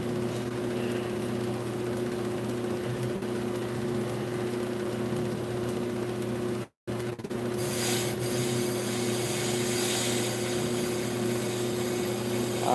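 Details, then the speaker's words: Brake rotor being turned on a lathe, cutting bit just making contact: even, steady cutting hum with constant pitch and no chatter or skipping; normal consistent rotor cut. "and then you turn the other portion to a makes contact you hear that nice consistency right there tanking with this slide"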